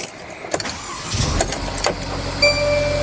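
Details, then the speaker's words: Chrysler 200 with 65,877 miles, in for overheating and leak: engine catches after a few bumps and settles into steady, even hum with no knocks or ticks; engine sounds good. "This engine sounds good."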